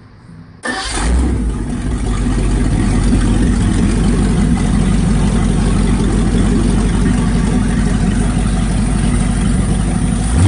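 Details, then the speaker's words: Chevy truck V8 built over two years for Orange Peel, just broken in with oil changed, temporary non-Quadrajet carb; cranks and catches quickly, then settles into a deep, even idle with no knocks or misses; 50 psi oil pressure at idle. "It says 50, but you can't see it, but 50 pounds oil pressure at idle. As you remember, this is just a truck motor, nothing wild, nothing spectacular, just,"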